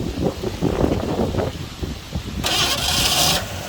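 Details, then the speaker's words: 1984 Ford F150 5.8L 351 HO V8, first start in 20+ years after timing chain replacement, fuel poured into carburetor bowl: ragged chuffs, runs briefly but won't idle and stalls; owner suspects carburetor idle circuits are bad, needs rebuild. "Well, it ran. We'll give it another little shot of fuel, fill that bowl back up. I think we got a, it doesn't really want to idle. I think the idle circuits are toast."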